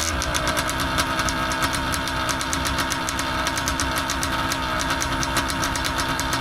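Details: Paramotor two-stroke engine after new carburetor membranes fitted: buzzy, irregular stumbling beat at low revs, wants to die; still feels weird on the low end, owner suspects carb needs adjusting; unflyable, to be taken apart.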